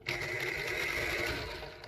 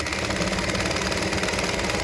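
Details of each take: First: Singer 201P sewing machine after cleaning the bobbin area, running with a harsh, high whirring whine that winds down; it sounds dry and rough, likely needing oil, since the top is not yet cleaned or oiled. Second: Singer 201P sewing machine with a size 14 needle, after cleaning, fixing and tensioning: quick even needle clatter at about four stitches a second, steady and unlabored; it sews smoothly.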